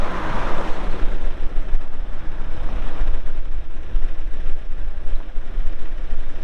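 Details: 2021 Case 580 Super N 4WD backhoe with 1,159 hours: steady, even low diesel rumble with no knocks or misses; normal idle.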